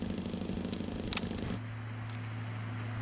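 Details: Cooler Master V8 CPU cooler 120mm fan with a dry bearing, just oiled during refurbishment: rough purring growl under a low hum at one steady fan speed, the fan still running rough and vibrating before more oil is added.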